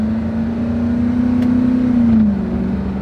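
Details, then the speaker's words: Truck with 5.4-liter V8 (no smoke, no oil burning) and five-speed automatic, driving uphill: steady pull, then a clean drop in note as it upshifts smoothly with no drag. Normal smooth upshift; left front wheel bearing growls separately. "going uphill shifts pretty smooth no real drag or anything on it trendy's in good shape"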